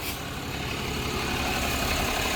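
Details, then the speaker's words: Diesel truck idling about 5 minutes after the bottom radiator hose was refitted and 5.7 gallons of coolant refilled. Steady, even idle with no knocks, misses or leak hiss; clamp and hose holding, no leaks, engine healthy. "We'll call it a win. Back on the road. Been running now for 5 minutes."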